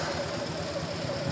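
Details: Honda Beat eSP (non-ISS) scooter idling evenly with a steady buzz, no misses or knocks, after a torn CKP sensor wire was found and repaired; it had arrived not starting. Normal idle.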